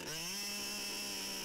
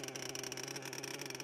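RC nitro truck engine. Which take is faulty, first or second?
second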